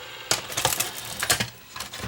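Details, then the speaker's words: JVC HR-FS1 VCR that won't rewind: a rough burst of clicks and clattering on eject because the loading mechanism fails to unload the tape; the machine has multiple faults. "That's probably why this machine ended up like this. There's a lot more wrong with it than that. The uh the mechanism did not attempt to unload."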